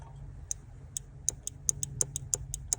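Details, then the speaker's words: BMW E28 engine idling, cold weather: crisp ticks as the throttle position sensor clicks into idle mode after being remounted correctly. It was previously mounted wrong with the bottom screw missing, so it never clicked into idle. Normal idle switch click. "you hear that clicking? That's it going into idle mode."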